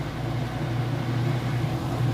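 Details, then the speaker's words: Whirlpool top-load washer in its final spin with heavy jeans and towels: even low hum and steady whir, no jumping, knocking or bearing noise; spinning nice and fast and smooth, normal. "it's got a nice smooth operation it sounds great not jumping around or knocking around or any weird noises or bearing noises all things you'd listen for and look for"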